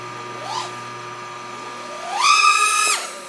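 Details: OxFPV Acrolite 230 quad with T-Motor F40II Pro motors and Betaflight 35A ESCs during Betaflight 3.2.3 PID tuning in cold weather, D gain raised and TPA at 28%. A quick rising, then steady, smooth whine; motors sound clean, though some bounce-back oscillation remains.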